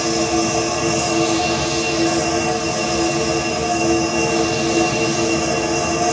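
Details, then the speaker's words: DIY siphon-nozzle waste oil burner, more air added after smoky running on cold oil: steady, even roar, constant tone, no popping or sputter; burning smokeless, normal burner run. "okay now we're burning smokeless right um uh first run there didn't actually got a plan that's all so it went out after 30 odd seconds"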